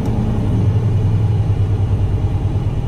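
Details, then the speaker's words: Freightliner Cascadia diesel during a parked regen with a bad One Box (DOC/DPF): a deep drone swells and eases unevenly a couple of times a second, with DPF pressure reading 1.4 to 2.3 and DPF pressure and DOC inlet codes present; the intake throttle valve is to be replaced. Cause unconfirmed. "see that surging you can't have that so and again look at that pressure from andis amount of pressure one point for two point three so"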